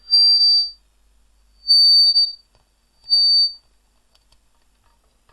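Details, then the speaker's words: Labtec PC speaker amplifier under repair, one speaker had stopped working: three loud bursts of a piercing, steady high whistle, each about a second, as the amplifier becomes unstable and likely oscillates. "so obviously this is quite effectively becoming unstable yeah oscillating"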